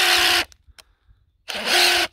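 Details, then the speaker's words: Hilti SID 4-A22 impact driver losing power: two short rough rasping runs with strained buzz, no crisp hammering; drywall dust fouling switch and motor, to be fixed by cleaning with contact cleaner and washing the casing. "She's not happy. What I'm going to attempt to do is make this run better by opening it up and cleaning it out with contact cleaner."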